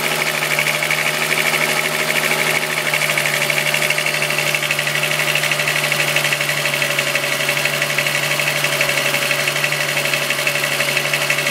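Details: VW Golf VR6 2.9, 103,000 km, idling: a busy metallic rustle and rattle riding high, steady with no rev change. A chain-like rub worsened after the upper hydraulic tensioner screw was replaced. Suspected timing chain rubbing its guides.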